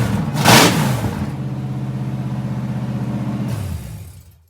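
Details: A Ford Mustang foxbody 5.0 V8 starts and runs after a failed solenoid was swapped out; it previously would not start. A loud, raw, unsilenced V8 burble with steady firing pulses, then it shuts down. Normal running.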